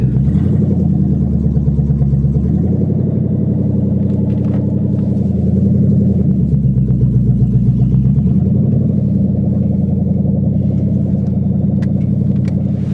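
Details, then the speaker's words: 1997 Ford Mustang GT V8 with exhaust manifolds only and no exhaust system, before fitting an SLP Loudmouth exhaust and BBK X-pipe, heard while driving off the trailer: a deep, raw, ridiculously loud rumble with a choppy throb that swells under throttle. "You guys can hear how loud this thing is, because it's ridiculous. She's crazy. That is wild."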